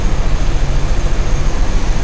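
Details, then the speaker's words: 1981 Corvette V8 idling after coolant flush and new sending unit, heater on, hoses hot, reaching operating temperature, cooling system still burping a little: deep even burble, steady low pulses, no misses, ticks or knocks; running okay, no check engine light. "running okay and we are reaching operating temperature I have the heater on and the hoses are hot still burping a little bit"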